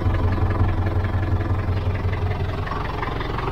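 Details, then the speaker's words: David Brown 1210 forward-control diesel tractor, believed 3.6-litre, long abandoned and never run by previous owner, both radiators found empty: low, steady, even idle with no misses, knocks or puffing; sounds really good, little blow-by. "That sounds really good actually. Not a lot of blow by at all then."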